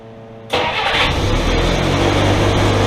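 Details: 1964 Willys CJ5 Jeep four-cylinder, first start after water pump and thermostat replacement, coolant nearly full: starter catch then smooth even idle, steady beat, no knocks or squeals; normal idle.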